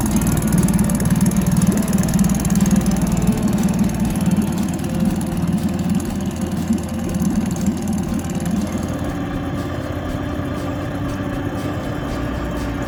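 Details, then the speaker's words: New 2022 Tohatsu 20 HP outboard, just mounted on the transom, boat in the water on the trailer, 10W30 engine oil and gear-case oil filled; first start catches straight away, settling to a smooth, even idle with a steady low drone; healthy. "First start. Just like that, it comes to life."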